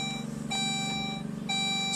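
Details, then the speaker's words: Saab OG 9-3, engine off, after fuel filter replacement: the key is cycled several times so the relay primes the fuel pump before cranking; repeated steady electronic key-on chimes, stopping and restarting, over a faint pump hum. "the key a number of times is what that knows the fuel pump relay will activate the fuel pump for a number of seconds and it will time out so you don't want to just crank it"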